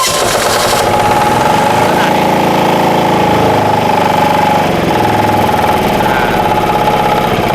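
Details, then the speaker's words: Mitsumag 10 hp single-cylinder vertical diesel driving a 3-inch high-pressure water pump, rated 3,000 rpm, after key start: loud steady clatter with faint whistle; normal diesel running. "เครื่องยนต์ดีเซลเนี่ยตามธรรมชาติของเขาเนี่ยจะมีเสียงที่ดังมากกว่าเครื่องยนต์เบนซินแล้วการสั่นสะเทือนเขาจะเยอะกว่า"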